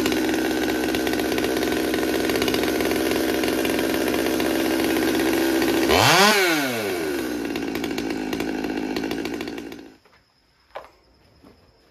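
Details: Stihl MS200T saw with aftermarket carburetor and intake boot, warm after cold start: high buzzy idle, blips and sweeps up and down before dying, much smoke; idle creeping up from crankcase air leak.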